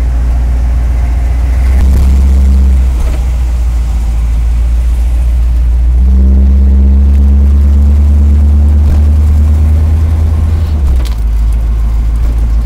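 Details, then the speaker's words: 1979 Chevrolet Camaro with newly installed engine, first drive, stock carburetor settings, spongy brakes: steady V8 drone then tone drops around eleven seconds as automatic takes a clean upshift; normal. "it shifted did you hear it pretty sure that was a shift"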